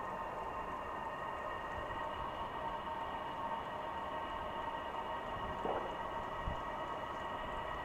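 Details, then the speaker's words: Silvel 8 kW 12 V Chinese diesel air heater, first start-up, exhaust beginning to blow, not yet warm: quiet even blowing hiss with steady faint tone, no knocks or pops; normal running. "okay I'm starting to hear the uh noise come out some more you can see carefully there's some exhaust coming through it's not quite warm yet but it's starting to blow"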